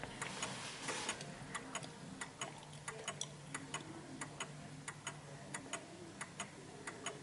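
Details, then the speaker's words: 1950s Smiths Enfield striking mechanical mantle clock deliberately tilted on an uneven surface: lopsided tick-tock with the tick longer than the tock, out of beat, and it stops; fix is adjusting its centre of gravity. "you can hear that the tick is longer than the Tock so it's just going a bit further out and it will come to a stop because it's so uneven"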